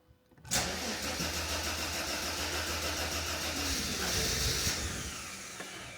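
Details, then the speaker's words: Mercedes SL320 that had not run for 3 years, with the camshaft sensor not fully plugged in: the starter cranks evenly for about five seconds but the engine never fires. Crank, no start; cause unknown. "same thing same problem same thing still doesn't seem to be like in the cam shaft sensor plugs [Music] huh okay this is not good I was hoping for it to actually start firing up but it did not"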